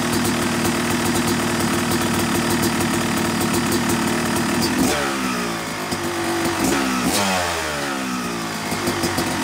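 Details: Yamaha YZ250 two-stroke motocross bike (270cc/250cc), break-in after full engine rebuild (bottom end, transmission, bearings, clutch, power valve); crisp busy idle climbing cleanly through gentle blips, dropping back without bogging; normal, healthy.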